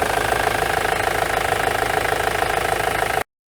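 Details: Ford Transit 2.4 TDDI Duratorq diesel with a misfire at idle and at partial throttle or light loads; pulsing idle beat around three per second with a lumpy, uneven note, one cylinder seemingly missing.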